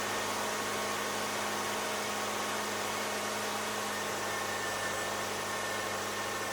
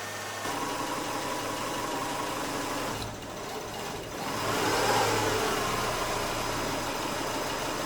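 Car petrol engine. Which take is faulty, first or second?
second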